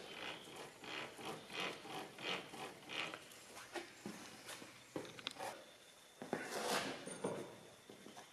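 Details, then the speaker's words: Volvo Amazon 130 rear wheel bearing on Spicer axle, removed and spun slowly by hand; rough gritty ratchet-like rasps each turn, worn gravelly bearing behind customer's differential-noise complaint, to be pressed off and replaced. "So this one's a noisy wheel bearing. Can you hear this? Almost sounds like a ratchet."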